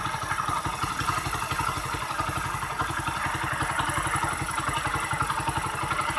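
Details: Motorcycle with missing, engine noise and hard starting: steady single-cylinder idle with a dry, rattly clatter on every beat from a tired top end; worn piston rings.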